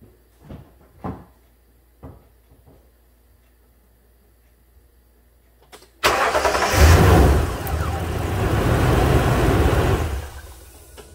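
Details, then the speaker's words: 2009 Toyota Tundra 5.7 with an intermittent no-crank history, started after starter replacement. Short crank, then it catches immediately and settles to a smooth, even idle: normal engine start. "well that sounds good let's uh let's throw the scanner on this"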